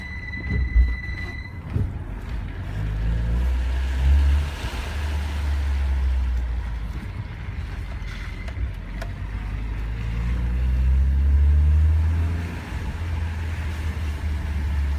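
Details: BMW E46 at hot idle after 45+ minutes or heavy traffic: thin steady high squeal, momentarily gone when revved, returns when stationary; fan belt and idler pulley already replaced, compressor not on belt; source unknown.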